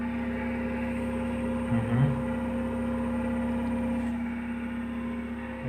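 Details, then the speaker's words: PC after installing an extra case fan, side panel refitted, at power-on: steady whirring hum with fixed tone near 220 Hz over airy rush; loud case fan noise, owner hopes it settles. "Boy, that's really noisy though. Computer is turning on. Hear the noise. It's pretty noisy."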